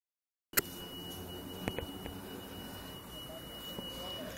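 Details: Neighbour's smoke alarm sounding at 2 AM, heard from inside another home: a piercing, steady high tone running without a break over a quiet room. Cause unknown.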